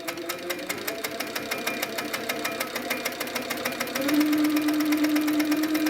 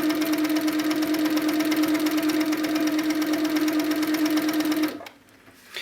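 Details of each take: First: Handi Quilter Sweet Sixteen with pink top thread and black bobbin thread during a tension check. Fast, even needle ticking over a steady hum, no thumps or catches. No pink shows on the back, so tension is good. Normal stitching. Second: Handi Quilter Sweet Sixteen with pink top thread and black bobbin thread, top thread tension deliberately loosened. Fast, even stitching patter at nearly three stitches a second for five seconds. Slight pink shows on the back, so the top tension is too loose.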